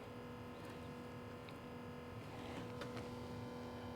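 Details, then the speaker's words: Vintage Pulsar radio/cassette/record player in cassette play mode: a faint steady motor hum with a few small clicks and no tape movement; the drive belts have failed (heard as melted), and the plan is to fit new belts. "So let's take it apart. Let's see if we can put a couple of belts in it."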